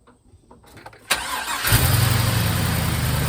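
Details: 1951 Hudson with a swapped LS 5.3 V8 on its first start on a new eBay harness, VATS disabled in the PCM: the starter cranks briefly, then the engine settles into a steady, even idle with no misfire. Normal idle.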